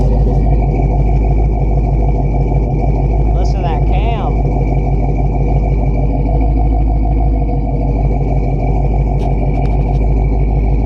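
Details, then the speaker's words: 1969 Buick Special Deluxe after a carburetor cleaning and rebuild, timing set, idle mixture adjusted, new fuel filter and vacuum lines plugged. Deep, steady idle around 700 rpm with a loping cam chop; otherwise smooth. "Okay, we're right at like 700 and it's idling."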